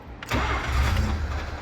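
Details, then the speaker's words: Mazda 12A rotary engine revived after long storage, new fuel pump fitted, choke pulled and pedal pumped twice: starter cranks, then a brief rough cough and burst of firing that fades without catching; cranks and coughs but won't start. "Give her a cranker. Ooh. All right, so we're getting it to cough on the key."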